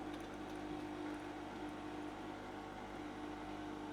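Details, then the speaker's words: HVAC refrigerant recovery machine in self-purge after hose valves closed at -2.4: steady low compressor drone, sound slightly changed, pushing refrigerant from hoses into tank; normal self-purge operation. "Self purged. And you could even hear the machine sound a little bit different, but it's pushing all the refrigerant from the hoses now cuz I already closed those from the hoses."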